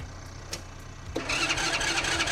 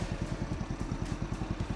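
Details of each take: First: Walmart gas tractor cranking steadily at a quick even whir for several seconds without firing; owner suspects fuel not turned on, but hidden fuel switch was already on; jump-started and cranked long until it eventually ran. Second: Walmart gas kids' tractor, after jump start and long cranking, idling with a soft quick even putter and low thumping, no knocks; very quiet, only exhaust smoke showed it running, smoking somewhat like a two-stroke.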